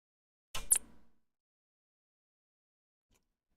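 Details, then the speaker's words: Apple IIGS power supply gives a short click and brief high-pitched chirp right at switch-off, then silence; abnormal chirping at shutdown, cause unknown. "something tells me it's not supposed to make that chirping noise"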